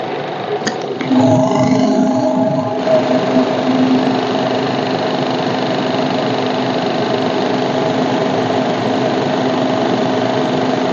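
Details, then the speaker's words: Maruti Baleno RS Boosterjet petrol engine idling with a steady droning tone over it from the engine side; a vacuum hose has come off its connection, causing a vacuum leak. "ये pipe basically एक common होता है, ये वाला pipe ये vacuum का होता है, ठीक है। बेसिकली यही निकल जाता है हमारे पाइप, इससे वैक्यूम से ये पाइप निकल जाता है ये होट से, देन ये साउंड आती रहती है।"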